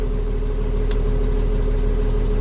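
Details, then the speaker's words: Case 956XL diesel running steadily with an even low chug after a blocked in-tank fuel filter was cleared; it has no hunting or stumbling. "seems to be fixed. So that filter in the tank that you've seen in the video was the problem. It was blocked."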